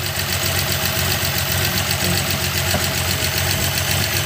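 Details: Suzuki Multicab F6A 12-valve three-cylinder engine, after the blocked carburetor fuel return line was cleared, idles with a fast, even patter at steady speed and no stumbling. The fix was for a hard-starting problem.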